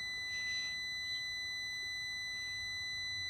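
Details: 2002 Mini Cooper S R53 cooling fan resistor pack: a steady high multimeter continuity beep once the thermal fuse is bypassed, showing an open fuse, blown after the seized fan bearing made the resistor overheat.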